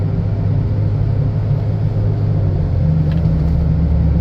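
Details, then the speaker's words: 2010 Chevy Impala test drive: low steady growl under road noise, louder when steering toward driver's side; front passenger wheel bearing suspected; slight power steering whine also noted. "okay so the noise seems to get louder when I go towards the driver's side um so that means I think it's the passenger side front passenger side wheel bearing which is kind of what I've thought"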